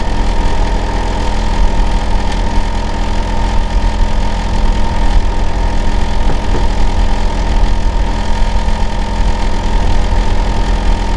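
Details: Neighbour's Hitachi air conditioner outdoor unit running year-round, especially loud in summer and winter: steady heavy low drone with constant hum, louder than it should be; cause unknown.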